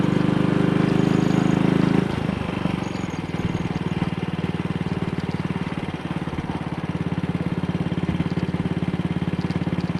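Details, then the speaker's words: Single-cylinder motorcycle with Wassell Evolution (Amal Concentric Mk1-type) carburettor, after refitting a dislodged, twisted needle clip that had caused misfire and a black plug; on test ride at about 45–50 mph indicated, a steady, even drone with no jerks, pops or misfire. "Well, this would have been accompanied by all sorts of jerks and pops yesterday, so I'm quite happy about this."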